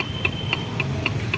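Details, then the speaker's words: Maruti Suzuki Swift Dzire, engine opened with worn bearings: sharp, even ticking knock about four times a second over engine hum; crankshaft end play from a thrust washer fault, possibly missing or only one fitted. "ये sound किस चीज का आप लोग पता है इसमें जो थ्रस्ट वशर होता है मतलब टेस्ट वशर जो होता है जो दोनों क्रैंक साफ्ट को हिस्सों में मतलब अलग डिवाइड करता है साउंड को वाइब्रेशन को कम करने के लिए इसमें थ्रस्ट वासर दिया जाता है भाई उसमें शायद थ्रस्ट वशर में कुछ गड़बड़ी किया या तो थ्रस्ट वासर है ही नहीं या तो एक ही है"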